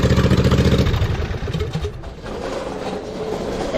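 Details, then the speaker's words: 2007 John Deere Z425 zero-turn mower, newly installed replacement Briggs & Stratton engine (44S977-0032-G1), first run with muffler off: loud raw unmuffled bark, steady even firing at fast idle, no knocks or misses; normal running. "it's gonna be a little loud too because the muffler's not on yet"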